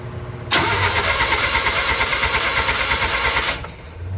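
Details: Suzuki F6A engine (4x4) after replacing a broken head gasket that had caused misfiring and no-start: cranks and catches at once, runs strong about three seconds, then shut off; clean start, no misfire.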